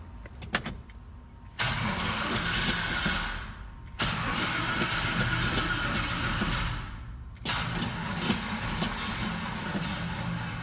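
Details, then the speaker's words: 1970 Chevy Blazer V8, low battery: several sluggish cranking bursts, never catches; too-weak battery, to be jumped with a booster. "battery's pretty low, so it didn't go on the first couple tries."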